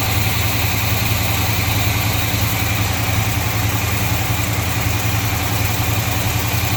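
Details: 1953 Chevy truck after fixing a leaking hose and reducing excess ignition timing: smooth steady low idle at about 3.5 beats a second with no stumbles. Much better running, fast idle stuck on because the choke is not hooked up.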